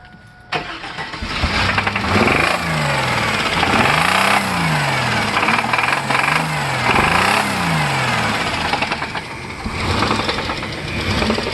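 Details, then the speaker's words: 1998 Chevy Blazer 4.3 Vortec V6: engine revved up and down with loose, uneven knocking; bad rod knock from a spun journal on one cylinder bank, earlier repair attempt failed, getting worse; truck getting LS swap. "it had a bad bad knock and we tried to fix it and it's that journals just sew it around it [ __ ] itself we're about to hear it"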